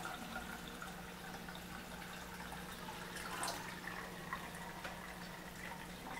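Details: Frigidaire LFBD2409LF2B dishwasher in self-diagnostic test mode, step 7 DRAIN: drain motor activated to empty the tub, a 60-90 second test. A low, steady hum with water trickling and gurgling underneath as the pump drains normally.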